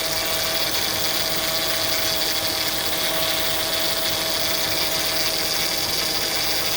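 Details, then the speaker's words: 2004 Acura TL after power steering reservoir replacement (old one cut by serpentine belt, leaking fluid), running to bleed air: steady, high, thin hissy whine over the idle as the pump takes in fluid and air. "So you heard that little bit of that noise, of that little whine. It's basically the power steering pump taking in the fluid."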